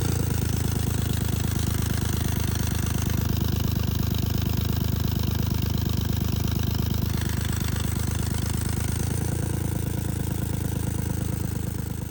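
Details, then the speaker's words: 1999 Lexus ES300 with a check engine light and cylinder misfire, also a failed power steering pump and a blown rear exhaust manifold gasket: rough, stumbling idle thumping about four per second with ticking chuff; misfire, owner suspects cheap plugs and coils. "Okay, so what's going on here is that it has a misfire due to cheap plugs and coils, hopefully."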